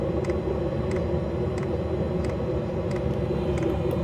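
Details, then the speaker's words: Planar 2 kW diesel heater running about 3 hours at full speed, fuel tank inside case: steady even roar with faint fuel pump tick about every two-thirds second; exhaust port 30 °C, fuel tank unaffected, running smoothly. "This has been going now for about 3 hours on full speed."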